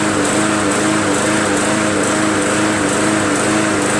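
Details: MTD Yard Machines 20" push mower with Briggs 300E engine, roadside find, after carburetor cleaning and draining water from bowl and fuel tank: runs at high buzzy speed with slight rhythmic rise and fall about twice a second, a mild surge; cause unconfirmed.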